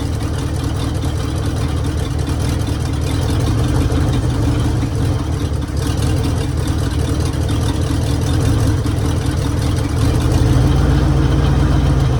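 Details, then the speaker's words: 1966 Mercury Monterey big-block Ford V8 after a fuel leak fix; deep, steady rumble with even low beat, no misses or knocks, "running like a top"; normal idle. "oh H there I'd say that is running like a top"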